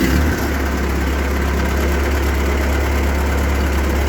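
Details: Ford 8N tractor idling just after fitting a spin-on oil filter adapter with a Wix 51068 filter; oil pressure is up and one fitting was snugged; steady, even low idle with smooth firing, no knocks or misses, healthy.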